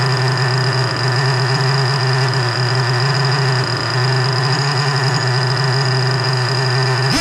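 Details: 3.3 nitro engine after fuel tank removal and gasket swap holds a steady high buzz, then sags and dies instead of settling; won't hold an idle.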